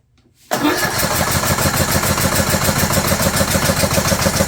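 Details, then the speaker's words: 2011 John Deere D110 mower, engine reassembled from boxed parts, start on choke with throttle cable not hooked up: catches at once, settles into a quick even single-cylinder beat about 3.5 firings a second; sounded good, shut off to remove choke. "I shut it off. Sounded good. I shut it off so I could take it off the choke."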